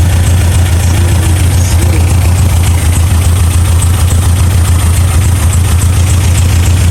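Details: 1987 Toyota Pickup 22R four-cylinder, carbureted, smooth steady low idle without skips or knocks after plug check and timing adjustment, following fuel pump and carb gasket replacement fixing vacuum leaks; all four cylinders firing, timing correct, idle just about perfect.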